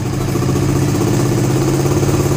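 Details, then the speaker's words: Suzuki GSX-R150 fitted with an aftermarket NOBI Neo SS racing exhaust, held steady at 2000 rpm after a fix for the usual racing-exhaust misfire (brebet) at that speed; even crisp single-cylinder pulses, no stumbling or popping, running smooth and clean. "Gue coba nah, ini RPM 2000 gue tahan di RPM 2000 enggak berbet sama sekali."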